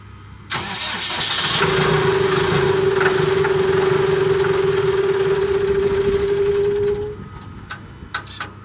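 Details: Cat D3K2 dozer diesel, complaint of rough running, power loss and bogging when pushing, fluctuating rpm, white smoke; dash warning light came on; tank just filled: starter whirs several seconds, engine never settles; hard starting, cause unconfirmed.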